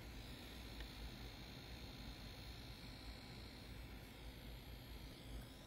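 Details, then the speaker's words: Asus ROG G18 laptop with an RTX 4080, gaming in silent mode: faint, steady high-pitched whine above soft fan hiss, constant under game load; minor GPU coil whine. "But if you listen to it, the Coil Whine's back. But again, it's very minor, and this is only in silent mode, and you probably won't be gaming at this mode"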